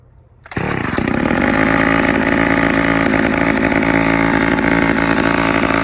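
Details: 1985 Homelite Super XL two-stroke chainsaw, cold start after not running all year: crisp pull-start, then a steady deep even roar at constant speed, no misses or surging; normal running.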